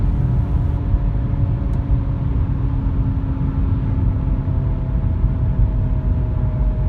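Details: Audi A5 B8 cruising, before replacement: constant low droning rumble with steady hum underneath, no engine rhythm; worn front right wheel bearing.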